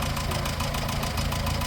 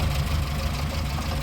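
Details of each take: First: 1954 Morris Minor Series 2, noise first heard at about 50 mph, listened to at idle: rapid light tapping about 200 a minute over a steady idle; valve-train tappet clatter thought to be in the front two cylinders, not the water pump. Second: 1954 Morris Minor Series 2 after fixing a loose tappet that rattled while driving at about 50 mph: even low idle, soft steady beat, no top-end ticking as oil reaches tappets through rocker gear; normal idle after repair.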